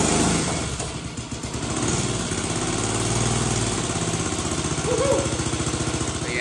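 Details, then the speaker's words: 1965 Honda CB77 Super Hawk twin, first start after long restoration, carburettors not yet adjusted, a little smoke from the header, owner thinks oil: quick loose idle about three or four beats a second, uneven rhythm; rough running, carburettors out of tune. "Carburetors need to be adjusted. There's all kinds of nuances that we need to deal with here. But man, this bike is running for the first time in a long time."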